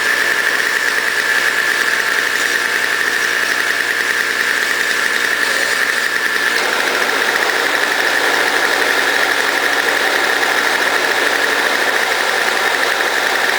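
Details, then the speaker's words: Toro CCR2000 snow blower running smoothly with a steady, even two-stroke buzz after repair, warming up; it had been smoking from very old gas backed up into the cylinder. "so as you can hear it's running great"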